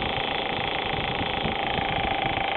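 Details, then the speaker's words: Audi A4 at hot idle after about an hour of running, oil temperature above 200 degrees: fast, even light ticking over steady hum, heard only at idle once hot; fixed by replacing the failed hydraulic timing chain tensioner at rear of head. "here's the noise we get after driving for a while engine is nice and warm it's is running probably an hour or so"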